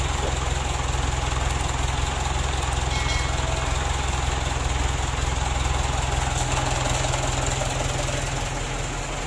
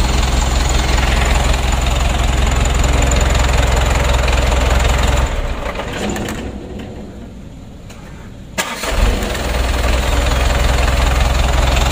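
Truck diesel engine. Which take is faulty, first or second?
first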